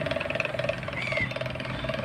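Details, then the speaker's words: Table fan with worn shaft bushing: rough, fast chattering rattle over the motor hum, like a power tiller running, as the rotor knocks; fix is to open the fan and replace the bushing. "जैसे power tiller चल रहा है इसी तरह का साउंड हो रहा है। देखिए सुनिए, पावर टेलर जैसा चल रहा है ना, इसी तरह का साउंड हो रहा है।"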